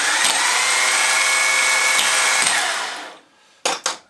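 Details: Jaguar X-type/Ford Transit/Mondeo starter motor bench-tested on an old, slightly flat battery after cleaning and oiling: an even, high-pitched whir held about three seconds, then winding down cleanly; it now spins freely and healthy.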